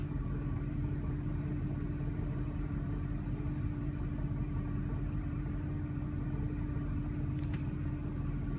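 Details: 2000 Jeep Grand Cherokee 4.7L V8, warm idle: deep, uneven rumble that wavers instead of holding steady; rough idle and stalling persist despite new plugs, fuel filter, TPS, IAC, cleaned throttle body; purge solenoid code from bad PCM connection, cause unconfirmed.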